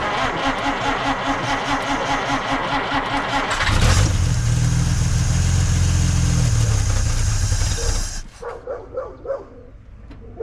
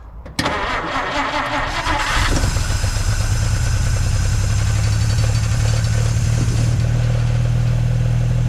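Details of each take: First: 1950 Dodge Meadowbrook after swapping to a 6-volt battery: starter cranks slowly at about four beats per second for nearly four seconds, then the engine catches and runs; slower cranking expected on 6 volts. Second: 1950 Dodge Meadowbrook six on a 6-volt battery, started with gas poured into the carburetor: brief cranking, then a clean catch and a smooth, steady idle. Oil pressure and generator gauge are fine, about 115–118 at the back of the block. Normal start and idle.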